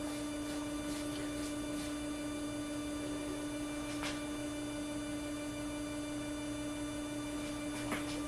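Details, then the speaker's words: Anycubic Wash & Cure station spin motor run without the wash tank fitted: steady even motor drone, clean constant tone, no knocking; this part sounds fine, vibration seems to come only with the water-filled wash tank on, once up to speed. "this portion of the unit sounds fine seems to be the wash tank that's got the issues"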